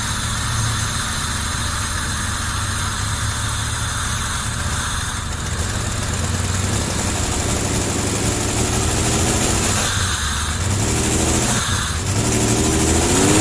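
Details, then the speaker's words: 1990 Camaro RS after 12–13 years sitting, new fuel pump, plug wires corrected to firing order, timing not yet set: low steady idle pulsing evenly, no miss or knock; normal idle. "gunk in there but after 12 years that he sounds pretty damn good"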